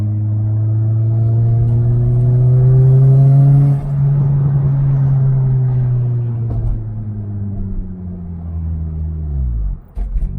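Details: Turbocharged Toyota Corolla driven after a fuel system upgrade with a new fuel pump and pump assembly; smooth even engine note rising and falling through the gears, no misfire, stumble or knocking, healthy under load.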